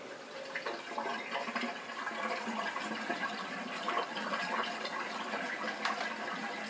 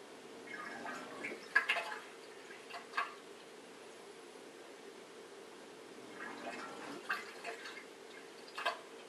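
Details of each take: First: Bosch dishwasher SHE4AP02UC/06 with 4-5 liters in the sump, after repositioning a small part near the drain pump; steady even rush of water pumped out without stalling; drains properly; owner suspects the part seals around the pump. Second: Bosch dishwasher SHE4AP02UC/06, 500 ml water in the sump; quiet hum with short pumping bursts cutting out after a second or two; drain pump starts and stops three or four times, failing to pump out water.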